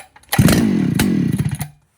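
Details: 2019 Husqvarna 395 XP chainsaw, fully rebuilt after heavy logging/possible milling use (original carburetor reused, no kit), first test run on 50:1 mix: fires on the pull with a crisp two-stroke buzz for about a second, then drops off; clean, healthy start.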